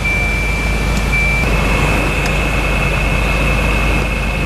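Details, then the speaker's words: 1994 Volvo 940 Turbo wagon blower fan just after replacing the bad blower motor resistor, which had left only full speed; steady blower rush with thin whine stepping up a notch as speeds 0–4 now change; normal blower operation. "blower motor resistor has been replaced we're gonna hope this gives me multiple different fan speeds"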